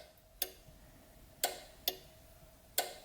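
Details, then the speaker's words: Ford CCRM fan relay module bench-wired for a Holley Terminator X with the PCM power pin 10 unpowered: only one crisp relay click, main power on but PCM power circuit not energized, so the computer-controlled fan won't work. "If I don't give it PCM power, you just hear 1 click."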